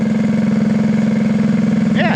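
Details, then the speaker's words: Go-kart small engine of unknown history, about 2,200 rpm during a 20–25 minute break-in, air cleaner off: even, steady single-cylinder thump with no knocks or misses. Normal break-in running. "sounds good cool yeah let her break in get it out of the shopper ain't got to listen to it it's kind of noisy"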